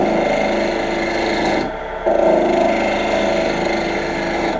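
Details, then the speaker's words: Lathe turning with a dull tool while knocking down corners: rough, uneven rasping scrape over the lathe hum with no clean cutting and no shavings. "even though I'm knocking down the corners you can see I'm just not getting I'm not getting any kind of a call"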